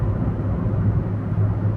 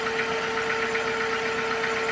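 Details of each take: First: Test drive at full throttle after replacing a bad ignition coil that caused a P0300 misfire: deep, even engine drone with no stumbling or popping, pulling smoothly with full power, problem solved. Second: Engine idling with P0300 misfire: uneven, lumpy stumbling beat about two and a half per second, engine wobbling and trembling instead of smooth; dead cylinder caused by a bad ignition coil.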